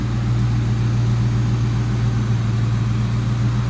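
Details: 1996 Ford Mustang GT convertible, 4.6 L (281 cu in) single-overhead-cam V8, 149,312 miles: deep, even V8 burble at idle, steady low rumble with no misses, ticks or knocks; healthy idle.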